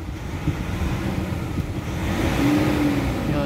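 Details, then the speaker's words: Nissan Calibre (remapped) at idle with aircon on, before treatment: on throttle the revs climb sluggishly and hang, delayed response; suspected uneven, poorly atomized injector spray, fuel treatment to be added to the tank. "So apak ako. Matagal siya mag-response. Medyo delay ng konti."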